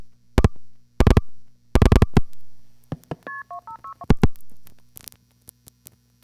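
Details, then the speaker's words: No. 1 crossbar, touch-tone call with a relay operated in the originating sender to flag pulsing trouble: relay clack bursts, then quick touch-tone digits as the sender calls the marker for a second trial, rerouting around the problem. "the marker sees the ground on that lead and automatically advances to one of its second trial routes which again happens to be through our panel"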